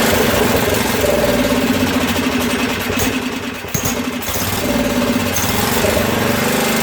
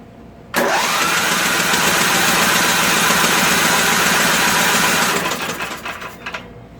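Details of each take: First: Craftsman rear-engine tractor, 13hp Tecumseh OHV single, after valve work: uneven, stumbling idle sagging almost to stalling then recovering; owner says it sounds lean and has a lot of water in the fuel. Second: Craftsman 13 hp Tecumseh OHV rear-engine tractor that previously had no compression and a suspected valve/pushrod problem, cranked to blow out debris before setting the valves. A steady, even cranking whirr with no knocks, scrapes or odd noises.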